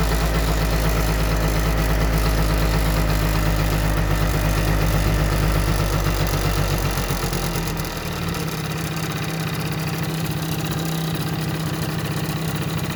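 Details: Yamaha Jog scooter that wouldn't start after winter; steady low buzz settling into an even, lower idle after about eight seconds, with no misses or knocks; running fine, normal idle.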